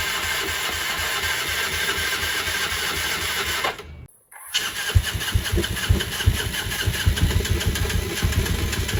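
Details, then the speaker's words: Rebuilt Yamaha Mio Sporty with new battery and fresh fuel, first start after rebuild: brief silence, then catches and settles into an even, steady idle with a fast regular beat; normal start. "Bismillahirrahmanirrahim, semoga nyala. Duh, orang murup bro, nah ini murup kok."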